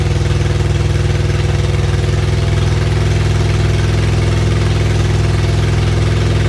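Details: Freshly rebuilt supercharged Acura Integra engine, first start after reinstall, exhaust not finished: loud even exhaust pulses at steady cold idle, no ticking or knocking; healthy.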